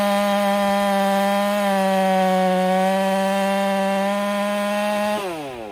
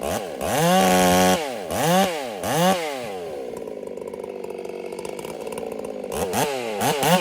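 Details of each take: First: Ported Husqvarna 385 chainsaw, breaking in, tune slightly rich, cutting very hard oak: a high steady scream holds pitch through the cut without bogging, then falls off as the cut ends, running strong. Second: Ported Husqvarna 385 chainsaw during top-end break-in, warmed up a minute, right after two cuts: hard revs rise and fall, then a burbling, uneven wet idle; the carburetor is running fat, taken as the rings starting to seat, so mixture will be leaned.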